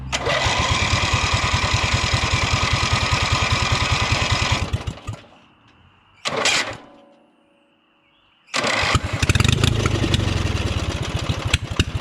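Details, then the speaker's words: Drag race lawnmower engine, first start: fires and runs evenly about five seconds on choke, then dies off choke before recranking; possibly a fuel filter issue, unconfirmed; stalls without choke. "all right she runs on choke only all right guys so you just saw she fired the first time she does not run without the choke on so that's something i'm gonna have to fine tune"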